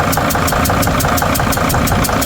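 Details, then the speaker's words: Freightliner van diesel, injector problem, after a temporary fix: uneven idle with sharp puffing tick about six a second; compression still escapes past the injector but fuel no longer sprays; cylinder dead. "You can still see compression coming out of there, but the fuel is not spraying everywhere."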